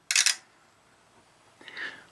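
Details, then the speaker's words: Tektronix 2465 DMS oscilloscope, dead on arrival and partly reviving after connectors were cleaned, at power-button press: a sharp double click, then a softer click about 1.5 s later as a relay cycles several times while front lights come on and go off; cause unknown. "these stays on for a few seconds then they turn off a relay goes on several times"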